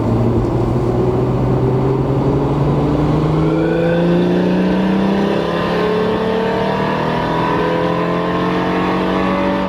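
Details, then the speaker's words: Lexus IS300 2JZ automatic with CX Racing turbo kit and EMU Black tune, first drive, full throttle in third gear: air-fuel ratio dropped to 11.8 against 12–12.3. Note climbs steadily with a slight ragged stutter; running rich and breaking up, likely slightly too much fuel. "about um 12 12.3 on the Airfield ratio and it actually went down to like 11.8 which is a little bit too rich but that's all right I'd rather have Rich than too lean I was breaking up a little bit as well so probably just a little bit too much fuel"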